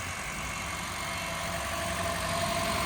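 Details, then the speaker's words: 2011 Honda Fit manual after its knocking 122,000-mile engine was replaced: an even, steady idle with a faint high hum and no ticking or misfire. The engine now idles smoothly. "all right guys it is all set we got the engine replaced and this thing is running beautiful again"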